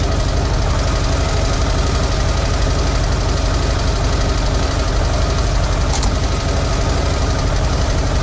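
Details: ZAZ 968M Zaporozhets started after sitting, with the fuel pump just repaired and the carburetor partly sorted: steady, even idle with a fast regular beat and no misses or stumbles; runs normally.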